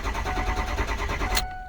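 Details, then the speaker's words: 2005 Ford F-250 6.0 diesel, intermittent cranking no-start, code P2614, before camshaft position sensor replacement: steady rhythmic starter cranking over a second with no firing, then stops. Faulty cam sensor. "Our main complaint is that we have a cranking no start. It might start right now, so let's just kind of see. But usually this will be intermittent. So as you can see, it's not starting."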